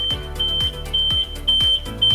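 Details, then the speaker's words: Zontes motorcycle keyless system, fob taken more than 1.2 m away (security mode): eight repeated beeps mean the bike is locked and off but the steering lock is not engaged. "je la laisse finir et là vous avez 8 alors 8 bip c'est un petit peu beaucoup pourquoi pour la simple raison que votre moto c'est verrouillé elle s'est éteinte mais nous vous n'avez pas le blocage de direction"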